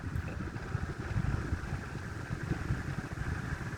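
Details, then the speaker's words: 1930s Murli electric fan, cleaned and restored: at full speed a low, even motor hum with a soft steady flutter, no knocking or scraping; rear bearing reportedly worn and clunks at times; normal fan motor running at full speed. "là il est à fond je crois qu'il n'est pas différent des vitesses assez quand même on l'entend au niveau du régime du moteur"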